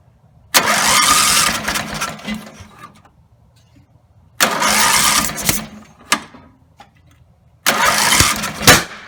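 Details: Rebuilt Briggs & Stratton 17HP engine (carb rebuilt, plugs, sump, slinger, gaskets, valves redone) gives three short bursts of loud high-revving running, each dying within seconds; won't idle at low throttle. Owner suspects throttle linkage lever off its screw.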